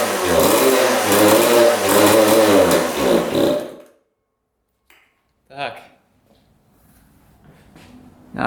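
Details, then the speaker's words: 1999 Suzuki RM80 two-stroke dirt bike that wouldn't restart: buzzy wavering revs for a few seconds, then abrupt cutout and stall; possibly from a bad spark plug, running much better after it was changed. "just died again really odd all right we changed up the spark plug now she's running a lot better"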